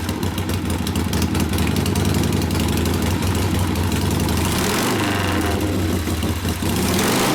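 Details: 1972 Harley-Davidson Sportster XLCH Ironhead just rebuilt after case repair (motor had seemed locked, kick starter wouldn't turn it): steady lumpy V-twin idle with one throttle blip, even, no knocks or rattles; normal running.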